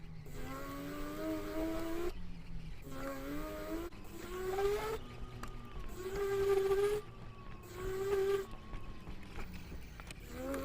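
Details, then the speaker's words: GoTrax GXL V2 electric scooter after 3 years, microphone clipped on rider near motor: hub motor groans and grinds pulling away from a stop, only at low speed under load, not when rolling freely; pitch climbs with speed. "You can hear that grinding sound. It only happens at low speeds, and it's when you're going slow, that initial, just the motor to get the wheel moving just sounds like"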